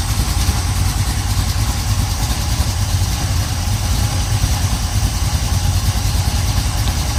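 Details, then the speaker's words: 1970 Pontiac Trans Am 469ci stroker, Lunati hydraulic roller cam 231/239 on 110 LSA, Performer RPM dual-plane intake, 850 Holley: lumpy idle about 700–750 rpm, could be raised, slight exhaust crackle, no lifter tick; healthy. "probably about around 700, maybe 750. It could use to be bumped up a little bit, but I wanted to hear the camshaft."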